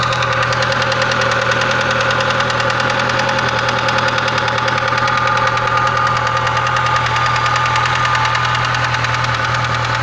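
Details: VAZ classic (Lada) at idle after rod bearing shells were replaced: sharp heavy metallic knocks about three per second returning gradually; connecting rod knock, crankshaft sent for grinding; compression 15 on all cylinders.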